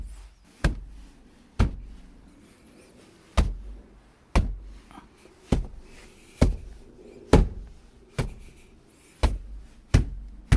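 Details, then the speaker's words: 2014 Jeep Grand Cherokee WK2 diesel front door after Noico deadening, CCF foam and Tesa tape under the panel clips: about ten dull low thuds with no rattle or tinny ring; a slightly sharper spot remains, but the door sounds solid and well damped. "if I hit it here I still hear something sharper but it does shut pretty well okay I hear the same thing on this side so that's good"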